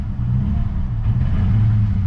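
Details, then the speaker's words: Manual Holden Commodore SS V8 with ABS and airbag faults showing; low rumble surging and wavering, rough running, then dies on its own; owner suspects the alternator is fried. "it's running rough yeah I think the alternator's gone that just died on its own then that wasn't me"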